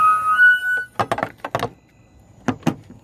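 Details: 2013 VW Passat whistling at cranking and idle, persisting after spark plug change: thin steady whistle over the idling engine, then knocks and handling noises; source located by touch but cause unconfirmed.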